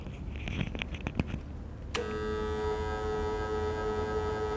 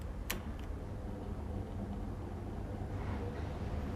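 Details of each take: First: Electric fan switched on and run on power from a low-cost 12V 1.5kW all-in-one solar inverter, later compared with grid (TNB) power; a strange constant high-pitched buzz rides over the motor: motor buzz from inverter power. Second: Same electric fan now running on mains (TNB) power instead of the solar inverter: soft, steady hum with the earlier electrical buzzing gone; normal fan running for comparison.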